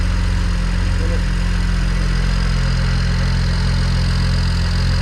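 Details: BMW 335xi N54 turbo build, first start after all parts installed: smooth, steady low idle with an even pulse of about three beats a second, no knocks or misses, no leaks, smoke from residue burning off; healthy engine.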